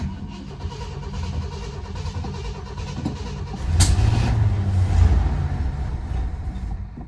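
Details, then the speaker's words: Rough-running 1970 Ford LTD Country Squire with a 390 6.4L V8, parked about 14 years, after an oil change, new spark plugs and the choke closed. The big V8 runs lumpy and uneven, with revs surging and sagging. It is still running badly, cause unclear. "So, it's running pretty badly still, but [Music] better than nothing."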